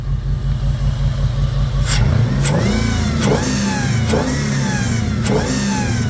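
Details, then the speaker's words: 2002 Jeep Grand Cherokee 4.7 HO V8 at idle and light revs: recurring stumble every few beats, intermittent miss on cylinder 3 with visible exhaust smoke; code reads cylinder 3 coil primary circuit, a wiring fault, history of melting coils. "Nope, she's still missing. Still has a very clear miss on cylinder 3."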